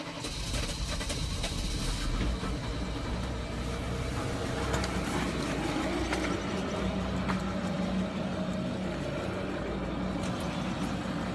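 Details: VW Touareg V10 TDI diesel cold start at 3°F after three glow-plug cycles on 5V steel recall plugs, Webasto run about 5 minutes: steady, slightly clattery idle with no misfire or stumble; starts and runs fine.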